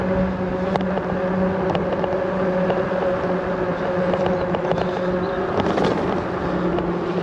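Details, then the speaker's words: Himiway Cobra fat-tyre e-bike riding on tarmac: steady tyre and motor hum with scattered light metallic clatters over bumps; rider suspects the kickstand, whose spring may be too weak; rattle over bumps. "Now I've noticed you can hear that rattling in the background. I think that's the stand. The spring on the stand could probably do with being a little bit stronger. Every time I go over a bump, the stand rattles."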